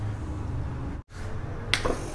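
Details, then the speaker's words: Compressor on the bench with a start relay, starting capacitor and overload on common: low hum as it tries to start, sharp click, then cutout; the mismatched relay won't release, keeping start and run points joined, tripping the overload. "ये आप देख सकते हैं ये compressor को हमने start दे दिया और ओवरलोड ट्रिप कर चुका है। इसकी वजह यह है कि जो रिले हमने कंप्रेसर के साथ लगाई है वो पॉइंट नहीं छोड़ रही, रनिंग और स्टार्टिंग का पॉइंट आपस में जुड़ा रहेगा तो वो ओवरलोड ट्रिप कर जाएगा,"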